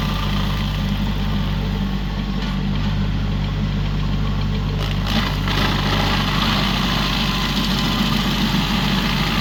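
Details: Used 2018 Woodland Mills WG24 3-point stump grinder on a tractor PTO (run below the rated 540), grinding a roughly 30 by 24 inch beech stump: heavy tractor engine steady under load with constant gritty chewing from the cutter wheel; cutting smoothly and strongly.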